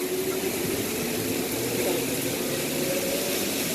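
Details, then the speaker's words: Zeny portable washing machine spin basket on a 3-minute spin with the load pressed down to balance it: even high whirring hum at a steady pitch, no thumping or wobble, normal spin cycle. "this thing wrings out so good, some of your clothes are going to feel dry when it comes out."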